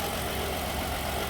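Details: 2011 Jeep Liberty 3.7 with overheating complaint and warning lights, uneven idle with irregular low stumble under steady hum during combustion-leak (block) test for suspected blown head gasket; rough idle, cause unconfirmed.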